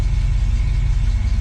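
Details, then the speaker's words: 1966 Ford Mustang after Holley Red electric fuel pump replaced failed mechanical pump, hot day: steady even low rumble idling around 650 RPM, slightly below usual 800-900, smooth, no misses or knocks; healthy. "feels pretty good doesn't feel like it's going to stall usually I keep it around 8 or 900 so it's actually um the RPM are down just a little bit"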